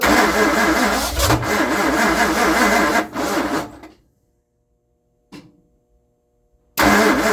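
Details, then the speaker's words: 1960 Ford Starliner with 360 FE Tri-Power engine cranks rhythmically for several seconds, cuts out, cranks again and never fires; it leaks fuel, and the owner suspects the accelerator pump. Cranking, no start. "yep I'm disappointed guys I didn't get it running I promised you guys that I'll get it running for this video"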